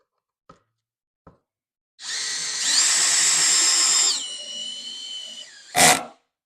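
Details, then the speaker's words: Cordless drill driving a screw into plywood at torque clutch setting seven: whine rising to a steady high pitch about two seconds, then winding down cleanly without clutch clicks as the screw seats flush. "seven puts us pretty much perfectly flat with that so if I'm going to do a bunch of screws into plywood then number seven is probably the setting that I want to use"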